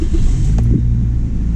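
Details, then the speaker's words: 2005 Scion xA just after start-up, following replacement of a broken mount that caused heavy start-up vibration: a deep, even low rumble with no shudder or thumping, idling smoothly. "oh guys this thing is super smooth now"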